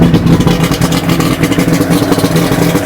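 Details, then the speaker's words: 2000 Johnson 90hp outboard on a flush muff after new spark plugs and fuel filter, started on manual choke: steady low burbling idle under splashing water, firing evenly with no stumbles. Some smoke from winterizing oil; idles well. "But everything's running good. It's idling nice."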